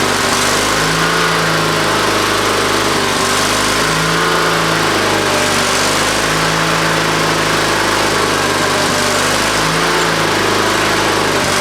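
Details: Used lawnmower engine on old Ariens walk-behind mower, new top fitted, choke on, throttle up, fuel of doubtful quality: runs loud and even, slight rise and fall while idle is set, then stops, possibly out of fuel; otherwise healthy.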